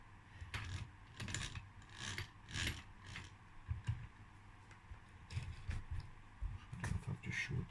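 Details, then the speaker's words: 2012 KTM 65 SX two-stroke, seized engine on teardown: rough, ratchety rattling in uneven bursts as a worn crankshaft main bearing is spun by hand; bearing is knackered, tiny metal flakes in the oil. "just showed this main bearing. This one's knackered as well."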